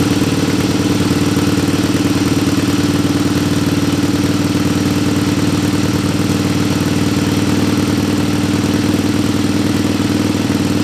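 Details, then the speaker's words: Barn-find 1961 Harley Sportster XLCH Ironhead with a cheap knockoff S&S carb, run briefly on carb-squirted fuel because of a rusty tank: even, loping twin idle about four beats a second, steady with no misses or knocks; normal idle, runs like a top. "barn fine 1961 sportster it runs like a top it's like a dream it's perfect"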